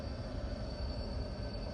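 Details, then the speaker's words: Tesla AC compressor after about 100,000 miles, with bad bearings: a heavy, rough droning rumble with a faint whine, heard from inside, that sounds like metal scraping. "it sounds like the compressor going bad in the HVAC right it sounds like metal a metal scraping doesn't it"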